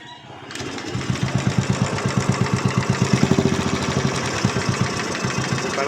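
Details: Royal Enfield Classic 500 Bullet single-cylinder at idle, before tappet adjustment: a light, sharp tick riding each thump, consistent with loose tappet clearance. Tappet tick from excess valve clearance.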